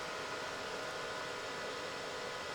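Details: Bluetti AC200 Max power station right after switch-on: steady loud rushing fan whoosh with no variation, fans pinned at full speed for no reason, suspected from a faulty temperature sensor. Fans stuck at full speed.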